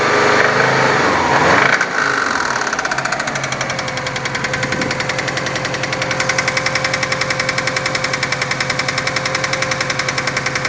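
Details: Subaru RB5 petrol engine running with a steady, regular knock of about three to four beats a second.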